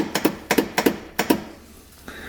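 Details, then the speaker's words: A 2018 Cub Cadet Challenger 750 UTV with 201 hours gives sharp double clicks about three times a second at key-crank with no cranking at all. The solenoid is chattering, and the battery was later found loose. "And crank it. And you can hear it. It's like the solenoid's clicking."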